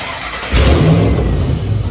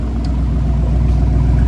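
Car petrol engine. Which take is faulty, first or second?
first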